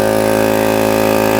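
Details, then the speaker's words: Repaired 125 psi, 2.5 hp, 21-gallon air compressor, taken in on trade not building past 40 psi, air-cleaner hole covered to start: steady, even motor hum and smooth pumping buzz, no knocks or stalls; normal running, now at 90 psi. "as you can see it's clearly building pressure now we're up to 90 PSI it does it'll stop generally at 125"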